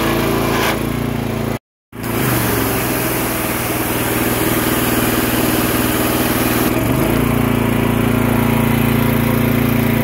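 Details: Graco gas pressure washer that sat a long time, started on starter fluid with the filter off: steady small-engine drone, pressure near 4000 PSI collapsing when the trigger is pulled, with a choppy rattle; pump cavitating from restricted water supply.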